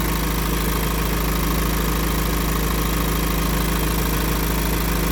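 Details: Iveco engine at idle: a regular knock about three times a second rides over the steady diesel rumble. The source is not yet identified.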